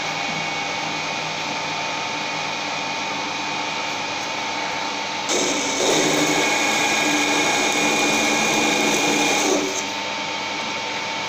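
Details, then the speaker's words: 15 kW motor as rotary phase converter, 407 V generated under 2.3 kW load, lathe spindle spinning up: steady even clean hum, spins up smoothly and holds; normal running. "LET'S FIND THE TURNING MACHINE spin very nicely"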